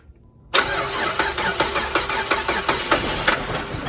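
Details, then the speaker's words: Chrysler Sebring 2.7L after head gasket repair and a recheck of the intake and valve cover, engine sat 2.5 years: cranks, catches, idles slightly unevenly about three pulses a second; the earlier metal-on-metal noise is gone and it runs just a little rough. "Okay, that noise, metal on metal noise, is completely gone. Praise the Lord. She is running a little rough, but it's been sitting here for 2.5 years wide open."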